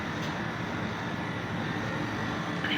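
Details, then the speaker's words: Fried ice cream machine refrigeration unit after repair of a miswired solenoid valve and a damaged sensor; previously ran but would not freeze. Steady, even hum and hiss with no knocks or cycling; tray near -20 °C, running normally. "equipment already working now to stop 19 gr we have in the original sensor 19.3 above on the tray it is working perfectly almost 20 gr below cer equipment finished"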